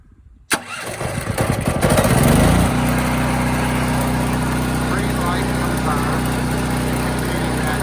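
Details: Firman tri-fuel generator running on natural gas for whole-house power, electric-started with the choke then returned to normal: a brief crank, then it catches and settles into a steady, even drone with no misses or knocks; normal running.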